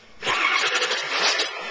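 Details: 2001 Ford 7.3 diesel, checked for glow plug draw and injection control pressure on a scanner: brief starter cranking that never catches; cranks but won't start, owner plans a fuel pump.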